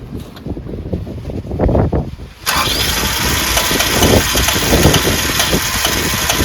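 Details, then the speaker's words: Project car, cold engine; uneven cranking about two seconds, then catches with a lumpy, unsteady rough idle while being given gas; owner thinks it may need more fuel, cause unconfirmed. "are you just starting it is it you gassing it let go Gess rough but we'll get there boys"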